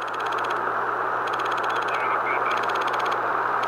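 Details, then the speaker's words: Radiuno BITX40 receiver with Arduino digital tuning, speaker held near the mic while tuning: rapid clicking bursts over steady receiver hiss. They are caused by no decoupling on the Arduino 12V regulator; adding a capacitor or two to ground removes about 80% of them. "one of the things you will notice is clicking noise uh there's clicking when you turn the the frequency"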